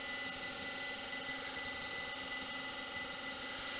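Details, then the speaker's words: Homemade Kelvin-replenisher-style high-voltage induction generator after cleaning and modified collector pads: continuous fast, bright metallic ringing of Franklin's bells, strong and even; no longer struggling, running well. "so here we're going to turn it on and let's see how it does that's not struggling that's running very"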